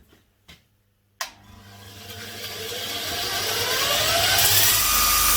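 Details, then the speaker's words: Bench grinder with newly fitted linisher attachment, 80-grit belt sanding metal: motor spins up with smooth rising whine, then steady gritty hiss as metal meets belt; sands normally and fast, grit a bit aggressive. "It was pretty rough before, and it's, I think 80 grit's a bit aggressive for what I need for my job. I'll get some finer belts, but super fast."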